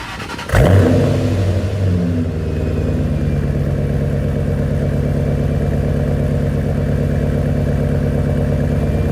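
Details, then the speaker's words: Startup, warm rather than cold after a drive, with a new Pypes muffler delete replacing cheap homemade piping; car has a blow-off valve: cranks, catches and settles to a steady, deep, even idle with a loud raspy exhaust, no misses or knocks; normal. "I hope you guys can hear the exhaust because it sounds beautiful. I love how it sounds in person, but camera obviously is not going to pick up the audio like it should in person."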